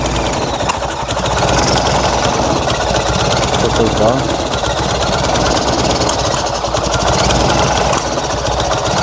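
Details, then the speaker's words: Fiat 126p engine on 92% denatured alcohol, with low compression after new rings: uneven, sputtering, lumpy idle that sags and surges, barely running and choking without throttle, burning lots of fuel. "Ale co nie za bardzo PR chodzi nachy Zobaczcie tutaj jak prycha"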